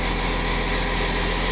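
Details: 4x4 wrecker diesel idling just after a cold-morning start: even steady clatter at low idle with no misses, knocks or surging; smooth healthy idle.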